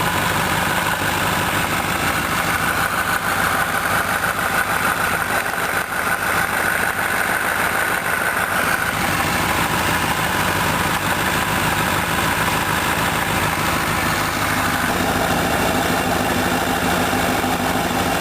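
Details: 2006 Honda CBR1000RR, about 8500 miles, engine warm at 80°C and above, standing still while gently releasing clutch so revs rise slightly: loud tak-tak-tak knock synchronized with rising revs; also when pulling clutch before stopping.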